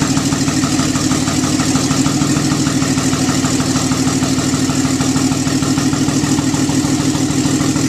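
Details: Nissan 300ZX twin turbo, first startup after engine pull with nearly all gaskets and seals replaced and vacuum lines upgraded to silicone: steady, even idle with a smooth regular beat, no knocks or misses; normal idle.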